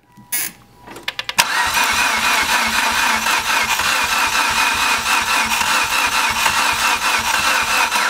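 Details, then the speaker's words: Mitsubishi Evo X that won't start, during a compression test: fast, light, uneven cranking that never fires. Cylinder 1 read 61 psi and cylinder 2 read 35, showing low compression, which is likely why it won't start. "61 yep so as you can see it's got pretty low compression"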